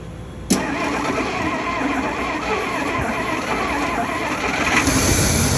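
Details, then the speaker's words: 1961 Dodge Power Wagon Poly 318 V8 after repairs to run on all 8 cylinders, start attempt: starter catches at once, settling into a steady, even low rumble with no knocks or misses; truck runs, drives, stops, steers; normal start and idle. "All right, so the truck runs, right? It drives, it stops, it steers, it's done."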